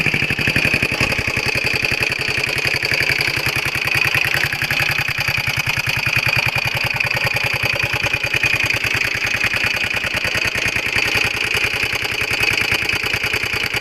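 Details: Honda XL125R small single: fast, even rattling clatter over the exhaust beat, steady throughout; abnormal top-end noise, cause unclear.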